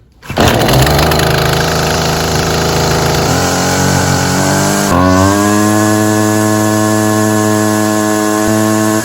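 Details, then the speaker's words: Husqvarna 128 CD trimmer two-stroke after carburetor replacement, primed and half choke: catches and runs rough briefly, smoking from excess fuel in the muffler left by the bad carburetor, then revs to a clean steady high buzz; normal. "you see that unit is smoking this particular unit had a lot of excess fuel in the muffler if you see it smoking when you first crank it up give it just a second and watch it"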